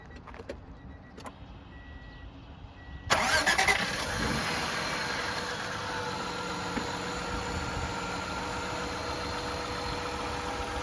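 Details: 1994 Acura Legend GS 6-speed with a timing belt changed some years ago, said to run and drive fantastic: cranks briefly, catches at about three seconds, then settles into an even, steady idle with no knocks or misses; normal idle.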